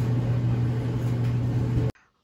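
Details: Amana/Whirlpool dryer that would not turn on, after checking the fuse, plugging back in and pressing start; steady low motor hum with drum rumble for about two seconds, then stops. Dryer motor starts and runs normally.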